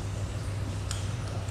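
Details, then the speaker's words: Large used Japanese-made fishing reel rotates with a smooth, even low whir and no grinding, catching or clicks; it is running normally. "đó nó chung về những con máy bự như thế này nè đó thì anh em nó hoạt động thế này là ok lắm rồi"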